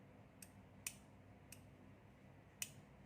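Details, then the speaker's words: 12VDC aircon relay, with 12 V supplied to the coil. Four crisp ticks sound in a quiet room as the relay snaps over each time; the relay is good. "moment you supply the 12 volt here, then you hear the relay coin is conducting. Tuck."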